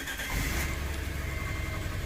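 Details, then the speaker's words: Petrol engine just restarted after new spark plugs and battery disconnect: uneven, lumpy idle as if a dead cylinder; cylinder 1 misfire (P0301), cause later found in the exhaust system. "Oh, that feels horrible. Why does it feel like we have a dead cylinder? We didn't have that before."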